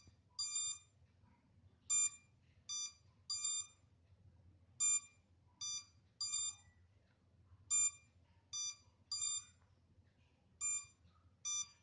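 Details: MJX Bugs 3 drone left on without transmitter connected, minutes later: short high beeps in singles and pairs every second or so in a quiet room; lost-signal locator warning buzz.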